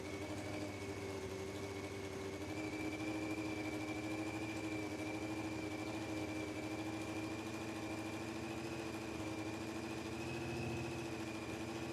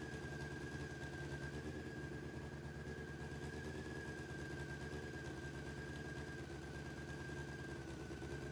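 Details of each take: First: Honda CBR600F4i, first start after reconnecting the bank angle (tip-over) sensor: fast, uneven, lumpy rough idle that sits too high; owner suspects an exhaust manifold leak at cylinder 1, possibly badly fitted or the wrong size, not confirmed. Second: Honda CBR600F4i with 64,000 miles, first run after reconnecting the bank angle sensor, running on all 4 cylinders, headers hot: smooth, steady engine note with a faint constant whine and no knocks or rattles, fine for its mileage.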